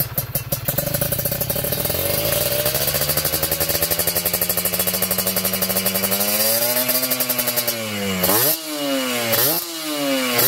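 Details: Kawasaki Ninja 2T two-stroke, finished special OB block with re-squished head and power valve (superkip) active, heard toward the rear exhaust: crackly note climbing smoothly, then clean quick blips without misfire, louder due to a different X-hole; normal revving.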